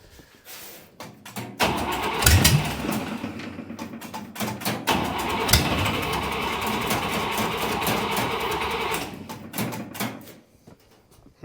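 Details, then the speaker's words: Buick Nailhead V8 vintage rail dragster after a carburetor change: ragged cranking that briefly catches, then fades out; only a tiny accelerator pump shot despite plenty of fuel pressure; owner suspects a stuck needle and seat. "got a tiny little shot of accelerator pump tiny it's not really working"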